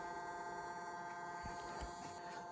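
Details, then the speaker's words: Analog Chinese 5 kW diesel heater in a 1992 Toyota Hiace camper, at startup; quiet steady fan hum with even pitch and no rattle or scrape, normal preheat cycle before fuel pump clicks in. "So the fan is running, it's doing a little preheat cycle, whatever it's going to do."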